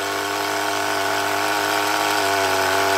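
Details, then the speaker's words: HPI Rush Evo T-15 nitro RC engine after fitting a new glow plug: a high, buzzy, even tick-over with no stumbling or dying, now holding idle unassisted. Normal idle. "it's got fairly consistent tick over now"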